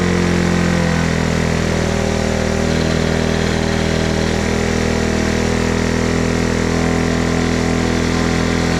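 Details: Honda ATC 90 running after sitting 50+ years, carburetor sandblasted, points adjusted, valve clearances checked: steady, even putt at fast idle with no misses, knocks or surging; engine running cleanly.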